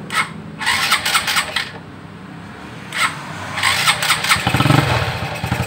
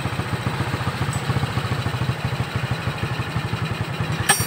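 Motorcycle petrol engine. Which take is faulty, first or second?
first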